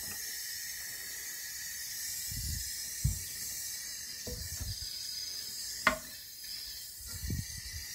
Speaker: Once this float, once the water gets to a certain level, this float's supposed to stop the water. Yeah. But it's not doing that. Okay. So I'm pulling up on this float, and you can still hear it hissing.